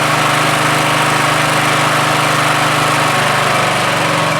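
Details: Troy-Bilt 17.5HP 42-inch 8-speed lawn tractor, in for repair, started on choke after fresh gas was added: small single engine running steadily with an even putter and no misses.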